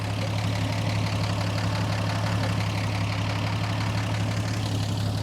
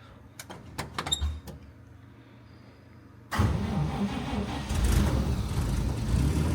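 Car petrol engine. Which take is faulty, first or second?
first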